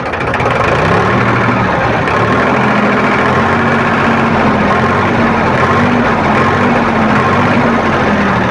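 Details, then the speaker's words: Powertrac tractor diesel after fuel pump drop timing set (one drop in 18 s, 15–20 s spec): even low chug at stated 500 rpm idle, steady beat, no knock or miss; normal idle. "ये इसका ideal RPM है 500, और ideal RPM पे अभी ये tractor है।"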